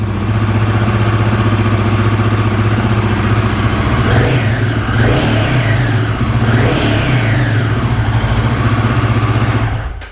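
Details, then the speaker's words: Royal Enfield Guerrilla 450 idling evenly with three clean, smooth rev blips before shutdown. Yesterday it ran rough with an erratic idle, and the TFT display is dead while warranty approval is pending. Today the idle and revving sound normal. "In fact, I've got to be honest, that sounds a lot better today. Yesterday, it was all over the place."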